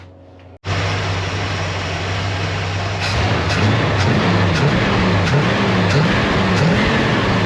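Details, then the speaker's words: Chevelle with a near-stock Vortec small-block Chevy, small cam and carburettor, after fitting a 10.5 power valve where a 9.5 was wanted: lumpy idle, then clean quick blips with no stumble; fuelling responds much better. "Well, that sounds way better, but I think I might have went a little bit too much."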